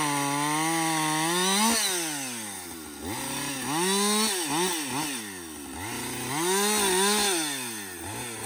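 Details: Husqvarna 562XP chainsaw back from the shop after a software reflash for dying when hot and stumbling; it screams up, bogs into the cut and recovers cleanly, with no stumbling or cutting out. It runs normally under load.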